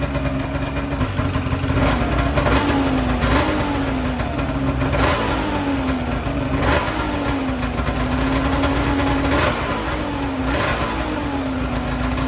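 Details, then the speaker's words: 2008 Ski-Doo Rev snowmobile two-stroke, which the seller said was blown up, running with the belt off after starting without starting fluid: steady buzz with even pitch and small surges, firing on both cylinders. Smooth normal idle. "it seemed to smooth out pretty nicely I do have the belt off right now it uh definitely was running on both cylinders there's no doubt about that I mean it sounded consistent and smooth"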